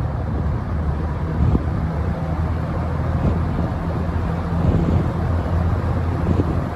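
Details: Vintage 1970–71 Windsor (Lakewood P-21) box fan with dirty windings and a slightly unbalanced blade, starting on low speed: a steady low hum settling into a smooth, even run with no knocking or scraping; normal low-speed startup.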